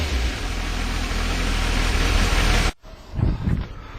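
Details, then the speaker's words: Suzuki Bandit 1250 on its original exhaust, before replacement: deep, steady four-cylinder rumble under light throttle blips, then dropping back; healthy. "This is uh with the original exhaust on at the moment and as you can hear it."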